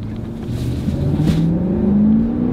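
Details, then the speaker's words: Ford Expedition, rear-wheel drive, big engine, high mileage, original shocks, pulling away: engine note climbs smoothly and steadily, good pickup, very smooth shifting, no knocks or misses; healthy engine. "got good pickup. You can hear the engine. Very smooth shifting."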